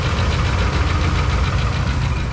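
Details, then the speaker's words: 2012 Dodge Ram 2500 5.7 Hemi V8 with camshaft failure, before remanufactured long block swap: rough idle with fast steady ticking and stumbling misfire from worn camshaft. "I mean, it runs terrible, and it's misfiring too."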